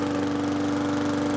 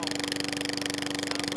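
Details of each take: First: Briggs & Stratton push mower just after fitting a new Lo-Tone muffler (part 394569S): steady, even, smooth drone with no popping, much quieter than before. Normal running. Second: Push mower engine with new spark plug, running with the rotted-out muffler removed; steady, harsh, very loud drone with sharp buzz and crackly exhaust bark.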